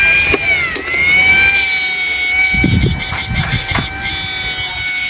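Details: Inverter (99900W new model) under repair: a steady high blower fan whine holds an even pitch apart from a brief dip and a few clicks, after a delay was added so the blower keeps cooling the heatsink; the blower runs normally.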